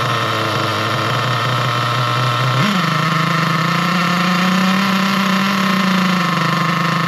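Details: Nitro RC car engine as the low-speed needle is leaned in: high buzz jumps up in pitch and holds, revs climbing and wheels spinning; leaning further made the engine quit and it wouldn't restart.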